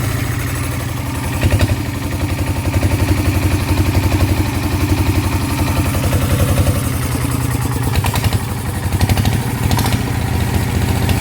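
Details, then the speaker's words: Kubota single-cylinder diesel, hard to start, vibration complaint: rough, uneven thump about four beats a second with heavy low rumble; mechanic attributes imbalance to crankshaft counterweights too light, plans to rebalance the crank. "ก็เดี๋ยวผมจะรื้อข้อเหวี่ยงนะครับเอามาถ่วงข้อนะครับมาถ่วงข้อใหม่เพราะว่าพวกเนี้ยถ้าไปเป็นโม่บางนะครับข้อมันต้องหนักนะครับ"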